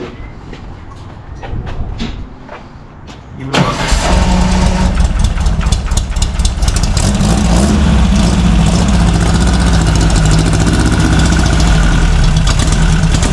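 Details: VW air-cooled engine in a Baja, claimed 130 hp naturally aspirated, timing about 28°: brief cranking, quick catch into loud, steady, even idle; normal start and idle.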